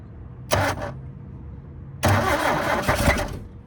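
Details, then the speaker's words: 1972 Toyota Celica, 18RC engine, first start after over 20 years in a junkyard, fuel poured down the carburetor vent tubes: two short bursts of ragged firing over cranking, catching briefly then dying each time; fuel starvation. "Okay, we need a little bit more gas. Let's try to get it down those vent tubes, then it'll fill the bowl up and then it'll run a little bit longer."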